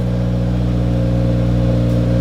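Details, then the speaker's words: 2020 Subaru WRX, first start after installing AEM fuel pump (AEM/DeatschWerks kit), pump heard kicking on, no leaks: smooth, even low engine hum at steady pitch with no knocks or misses; running cleanly, normal. "no leaks I can definitely hear that bad boy come on so we might be good"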